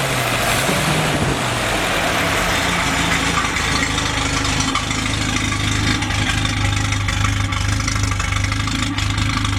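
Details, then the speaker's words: Freshly rebuilt F-head four-cylinder in a CJ5 snowblower Jeep at first start-up, heard at the rear through the homemade free-flowing exhaust and muffler; steady, even, low throaty rumble at slow idle with no knocks or misses. Normal idle. "Sounds pretty good for a homemade muffler. I duplicated what the factory one was like. So it's got a pretty good throaty sound to it for a little 4-cylinder."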